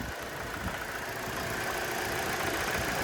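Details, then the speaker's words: 2002 Hyundai Accent, cheap running project car, at idle; steady idle with faint even knock or rattle about four per second under hiss, owner hopes it is not lower-end knock, source unclear; knock at idle. "Almost sounds like a rattle though. I don't know. Sounds a little rattly, a little knocky. Hopefully that's not the lower end of the motor knocking."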